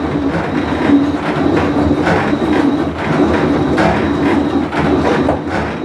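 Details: Whirlpool Cabrio washer with bad bearing, full wash cycle; coarse hollow rumble swelling and fading about once a second as drum turns; tub bearing rumble.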